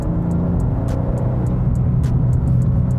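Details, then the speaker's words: BMW M2 in M2 mode with exhaust valves open, driving: deep steady low rumble with occasional soft crackle, a decent gentle burble the owner likes; normal, healthy exhaust. "je to fakt slyšet. A hezky mi ten vejfuk bublá, je to takový decentní. Ten zvuk se mi moc líbí."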